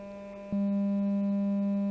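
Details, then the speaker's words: Genelec 1037 studio monitor with an intermittent low-frequency dropout, playing a 200 Hz sine test tone: clean, steady low tone holds evenly with faint mid spill. The woofer section is working at this moment. "I can totally see the driver working there is a little bit spilling over the mid frequencies it's kind of normal uh but that's telling me the drive the driver the section the low frequency section is totally working"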